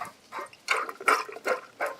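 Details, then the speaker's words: 2015-17 Mustang GT Coyote water pump, spun by hand with its pulley removed: gritty, rough rasping in short bursts about three times a second. Tons of play; the water pump bearing is worn, while the other pulleys and the alternator pulley are smooth. "Let's see what this feels like. Yeah, tons of play. Yeah, you can see how noisy it"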